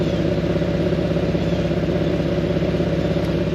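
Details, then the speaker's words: Nissan VQ37 V6 with ISR high flow cats, idling: low uneven bubbling puff, loud near the front on the passenger side; exhaust leak. "yeah, bubbling sounds uh that's that means that there is a exhaust leak. And it's loud near the front of the car instead of the rear where the exhaust actually like comes out."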